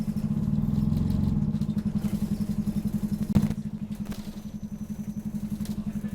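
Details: Optare Solo bus OS20 YJ12GVR on route 309, Poplar to Canning Town, with squeaky noise: diesel clattering hard with a loud throb about four times a second, rising and falling; engine thrash, cause suspected, not confirmed.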